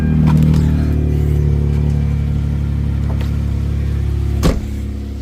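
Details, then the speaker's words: 2006 Hyundai Azera 3.8L V6 after fixing a shorted ignition coil that blew the coil fuse and caused crank-no-start: steady, even low idle hum, no stumble or misfire, one brief knock near the end; normal idle. "It is alive. If this popped, it wouldn't be running."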